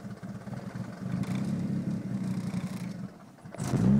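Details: Idle stumbles and shakes with an uneven, lumpy beat before a quick rev; misfire after intake manifold install, codes P0300 random misfire and P0031 O2 sensor heater circuit low voltage, cause not found.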